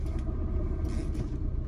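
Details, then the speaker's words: 1978 BMW E21 320i at idle just after a new clutch, throwout bearing and pilot bushing and a gearbox refill; smooth low rumble with no whir or grind from the bellhousing, quieter still with the clutch pedal pressed; earlier bellhousing noise is gone. "Well, first impressions, I can tell that things have quieted down a lot gearbox wise."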